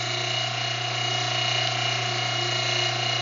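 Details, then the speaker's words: Electric fuel pump in MV Gallivant's engine room drawing from a fuel tank to fill a Racor filter bowl; a little air in the tank top makes the pump load up, then steady hum, light whine and quick ticking about four a second as it pulls fuel; running normally. "So I'll put it to this fuel tank here. Now, got a little air into the top of that tank. You can hear that pump load up. And now we're pulling fuel."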